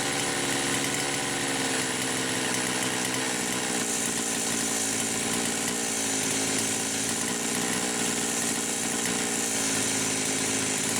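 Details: Poulan Pro 525 chainsaw (essentially a Pioneer P52), governed carb about one and an eighth turns open, lean running suspected: steady high scream at no load with rapid pitch warble; carburetor governor engaging at no load.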